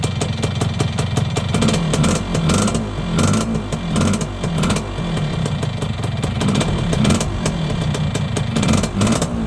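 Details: Yamaha YB100 two-stroke with a newly fitted exhaust, started and revved on the stand: sharp chuffing, spitting from a still fairly big exhaust leak, though much smaller than before the new exhaust.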